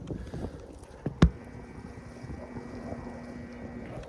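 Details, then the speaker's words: Lennox central AC outdoor condensing unit, second floor system blowing warm air, listened to with ear against the unit after a contactor click; low steady hum with no fan or compressor running up, unit energised yet stalled. "I don't know if you heard that, but that's a hum."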